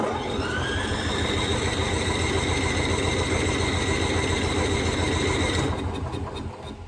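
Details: Onan generator engine after float bowl cleaning and new inline fuel filter fires and runs at a steady beat for several seconds, then winds down and dies; stalls after starting, owner suspects air bubble in fuel line, cause not confirmed.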